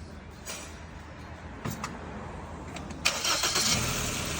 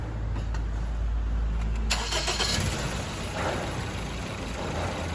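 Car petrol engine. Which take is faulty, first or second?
second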